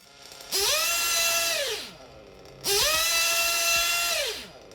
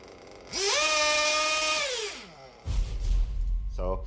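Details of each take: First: RC 1/8 nitro engine with a good high-speed needle setting: two crisp blips to maximum rpm, each dropping cleanly back to idle on throttle release; healthy high-speed needle setting. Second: 1/8 RC car nitro engine with rich low-speed needle: revs climb, hang, then sag and the idle drops off, needing work to clear the engine; low-speed needle too rich.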